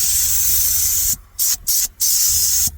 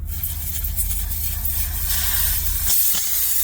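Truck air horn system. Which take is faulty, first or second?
first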